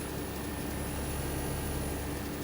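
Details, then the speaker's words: New Trane 20 SEER 4-ton AC condenser with zoning, running outdoors: a soft steady fan whoosh and faint even hum with no rattles. The line set was flushed, reused and pressure tested, and the unit runs very quietly and normally. "very quiet as you can hear"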